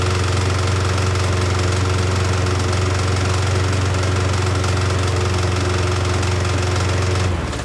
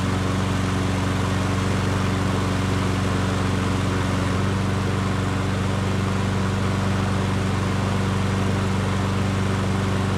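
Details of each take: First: Nearly new Yardworks self-propelled mower, previously stuck engine freed by turning blade: starts but makes a constant loud harsh knocking racket and blows heavy smoke until cutting out; cause unconfirmed. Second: Nearly new Yard Works self-propelled push mower, sold as seized but not actually seized, first run after sitting on its side: steady even drone with no knocks or rattles; runs smoothly.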